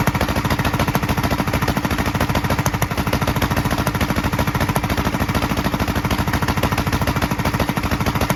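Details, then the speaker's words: 1943 Gravely Model L single-cylinder on rebuilt magneto and borrowed 1955 L carburetor with its settings; uneven chuff about 200 beats/min, sharp pops from carburetor and exhaust; valve lapping and lash check planned. Rough running with popping. "you could probably tell it was popping out of the carburetor and popping a little out of the exhaust so uh you know obviously lapping the valves is going to help out with that"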